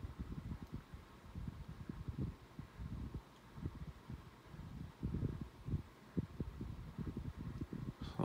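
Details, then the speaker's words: Galaxy 12-inch table fan at low speed: uneven low rattling thumps several times a second instead of smooth hum, also at medium, needs pushing to start; worn dry fan motor bearing. "but you can kind of hear the bearing noise just make a big bearing noise on the lowest and medium speed and it kind of bothers me sometimes at night"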